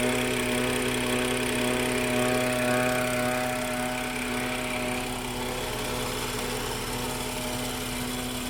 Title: F30 n55 MPPK whine noise